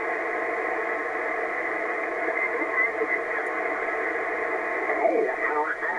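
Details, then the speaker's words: Ham radio receiver in a workshop: steady rough hiss with buzzy edge swamping reception, worse than when first installed; owner suspects lost ground and shop noise, nullable with loading control. "I've got a lot of noise in this shop and I think I might have lost some ground because when I first put it in I didn't get all this as bad"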